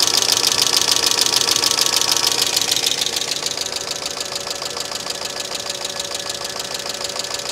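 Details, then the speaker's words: 2005 Mercedes ML350 (W163) bought cheap and found with no oil, at idle after start-up: sharp, even ticking about three per second from the top of the engine; owner worries about oil delivery. "I don't like the chatter I really don't like the chatter either so hopefully we don't have any oil delivery issues"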